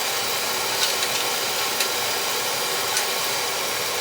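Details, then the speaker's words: Oil boiler burner after service: draft set 1 to 2 over the fire, air band set, smaller hollow nozzle fitted, bled; fires with a steady, even airy roar, no pulsing or rumble, much quieter than before. Normal burner operation. "Shift the fire right up, nice and quiet. Hear it? Incredible. That sounds like a monster before. Well, we got a little smaller nozzle. Run a little hollow nozzles are quieter."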